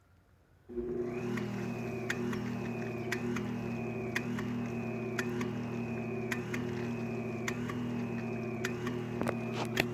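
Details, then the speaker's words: Hayward Super Pump with sand filter on a Coleman Power Steel Deluxe 18'x48" above-ground pool, run on the rinse setting after backwashing; a steady motor hum with a sharp tick about four times a second, sounding strained; cause unknown, no sand coming out; inlets later found too small. "Sounds like a struggle. Yeah. I'm not sure why it's doing that. There's no sand coming out."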